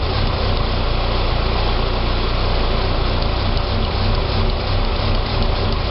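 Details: 2006 Saab 9-3 2.0T after an engine rebuild: an uneven, loping idle beat that wanders; it runs great with throttle. Rough idle, possibly vacuum-related, unconfirmed.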